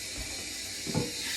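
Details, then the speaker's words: Running toilet: a steady, airy hiss runs nonstop with one dull clunk. The fill valve is leaking through and needs replacing (heard before fitting a Fluidmaster 400A). "So basically now I know that it's the fuel valve that's making all that noise."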